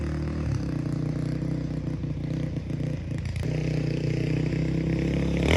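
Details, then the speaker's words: 2005 Honda CRF450X, sat 10 years, after needle richened one notch, main jet upped to 190, pilot 45, hot start blocked: single thumps with steady crisp beat, picks up cleanly without stumbling; normal running. "so as you can see this thing is an absolute beast and it is running great now"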